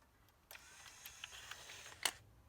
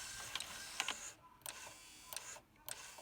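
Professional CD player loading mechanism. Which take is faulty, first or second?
second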